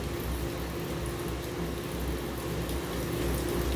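Heavy uneven rumbling with fast irregular knocking, about four a second, over the drum spin; the washer is shaking hard, cause unclear.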